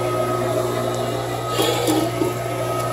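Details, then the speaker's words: Inducer motor on a 6-year-old Lennox ML193UH090XP48C 90% gas furnace (igniter glows but won't fire, Honeywell gas valve suspected) starts normally with R and W jumpered to rule out the thermostat: a steady, smooth whir with low hum, no rattle or scrape. "I'm gonna turn it on with jumpers across arm W to mimic what that thermostat would do just to rule out the thermostat and the fresh to try and fire dance or inducer starts"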